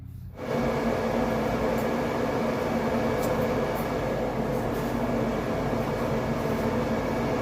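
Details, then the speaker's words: R32 Skyline with an RB engine, fan turned on with the hood closed to check intercooler pipe clearance after fixing a crank-and-die no-run; the fan makes a smooth, steady hum with no scraping and no contact. "i'm going to uh turn the fan on and close the hood uh just to see any other clearance issue and i think that there's none at this point"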